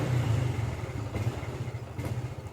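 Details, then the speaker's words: Honda Revo FI stumbling and surging only at low rpm, around 1000–1500 rpm, with clean high rpm: low-revving single thumps unevenly, loudness bobbing every fraction of a second; cause not yet diagnosed. "Dia memang sedikit agak mengganggu di RPM bawah dia endut-endutan dia. Untuk RPM atas dia aman tidak merebet. cuman di RPM bawah di 1000 sampai 1000 500-an lah dia mbet."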